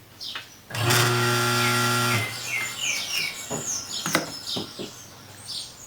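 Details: Consul/Brastemp washing machine motor bench-tested on mains with capacitor, second winding direction; steady even mains hum for about 1.5 seconds, then stops, birds outside; motor spins cleanly, winding good.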